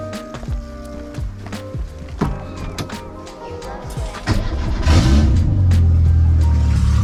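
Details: Renault 8 (R1132) with swapped-in 1397cc C2J engine, no exhaust, first starts on choke with the fuel pump still priming: starter churns in uneven bursts, the engine coughs and slowly catches but won't idle; it seems to improve as it warms.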